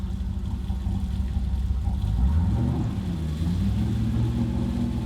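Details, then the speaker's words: Flooded, wrecked 2014 Super Aéronautique 230 inboard surf boat mid-rebuild, throttle applied out of the water with the shaft lubricated by the supplied water. Deep exhaust rumble swells cleanly and settles back to an even idle, no misses or knocks; healthy revving. "sounds so good I should be reversing this Mike right now but oh look at that"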